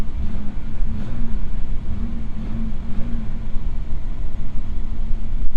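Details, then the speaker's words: 1999 Pontiac Firebird revving: smooth, steady engine drone with no tapping, misfire or rattle; it pulls cleanly and revs amazing, gears and reverse all working, no mechanical fault found so far. "as of now i don't see anything wrong with it then it revs amazing"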